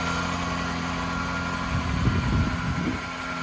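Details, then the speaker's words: Lexus SC430 after replacing a bad serpentine belt and the battery: fires right up to a steady, even low idle hum with no belt squeal or chirp; sounds healthy. "So it fired right up and there's no more squeak. So it must have been that bad serpentine belt and the battery, obviously."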